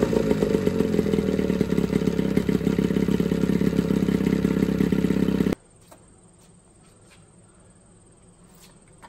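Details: Johnson 9.9 outboard after a carb kit rebuild and new plugs gapped to spec: even, quick idle putter of roughly three beats a second, then cuts out cleanly, pretty quiet; healthy normal idle.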